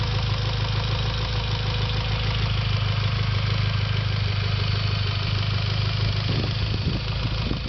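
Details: Mitsubishi Lancer Evolution X at steady idle with a light, quick tick about three per second riding over it; ticking noise, cause not pinned down.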